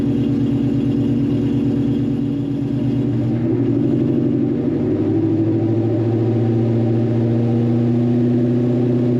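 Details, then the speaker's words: Foxbody V8 restomod running very rich, with known exhaust leaks: steady, deep lope at idle, sounding good overall. "But, yeah, sounds good."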